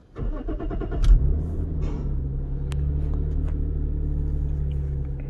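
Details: Lexus IS200 (straight-six) started with an OBD misfire monitor running: starter whirrs briefly, engine catches and settles into a smooth, even idle with no stumble; all six cylinders show zero misfires, coils healthy.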